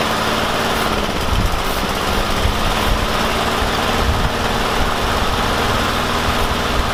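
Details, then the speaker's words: Yard Machines mower with a Briggs and Stratton engine that would not start; after priming, wire-brushing the spark plug and using carb cleaner, the small single-cylinder runs steady and even with a smooth buzzing drone, no misses or surging: normal running. "and the carb cleaner honestly that works for me about 85% of the time when I come across the mower so I'm glad I tried it one more time"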